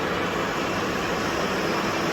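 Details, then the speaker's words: Barn-find GPZ900R running on all four cylinders after carb and idle adjustment, with a cooling part replaced by hose and no water leaks. The radiator fan kicks in with an even, steady whoosh, and temperatures read 94 and 87 degrees: the fan is running normally. "So we got no water leaks, which is incredible. You won't believe this. The radiator fan just kicked in. That is the sound"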